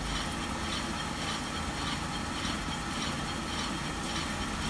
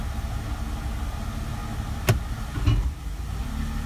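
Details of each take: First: 2004 Mercedes SLK 320 flood car, 722.6 transmission after new conductor plate and filter, idling in reverse: steady low hum with scraping from rusty brakes; no transmission whine. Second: 2004 Mercedes SLK 320 flood car, 722.6 transmission after new conductor plate and filter, shifting into drive: steady idle, then a sharp thump and a softer knock on engagement; owner unsure of the cause, maybe parts settling. Pump not whining.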